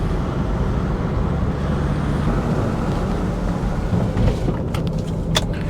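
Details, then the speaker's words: 2003 Volvo XC90 D5 driving after front brake strip-down and clean: heavy low road rumble with a steady droning hum from a known worn wheel bearing; some buzz also through the wheel, rear engine mount suspected. "You will hear some wheel bearing noise. I am aware of it."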